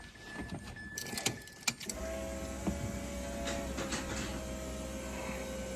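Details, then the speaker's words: Turbo Bridgeport-ported Renesis rotary Mazda RX-8 after fitting a new 2K starter motor replacing a lazy factory Series 1 one: a couple of clicks, then the starter spins quickly and steadily with no dragging or grinding; strong cranking. "So, it should spin a ton faster. That's me. Happy as of that. So, yeah, I'm well impressed with that starter motor."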